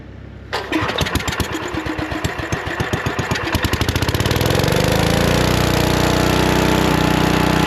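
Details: Lincoln Weldanpower 150 welder-generator, probably 1980s, sitting at least 12 years: single-cylinder engine catches on one pull, coughs briefly, then settles into a steady even beat; healthy running after the spark plug wire was reconnected.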